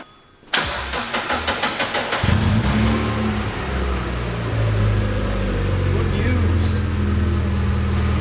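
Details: Mazda MX5 during a build after a new exhaust was fitted to replace the old leaking one: the starter churns about eight strokes, then the engine catches and settles into a steady, even idle with a deep, sealed exhaust and no puffing leaks.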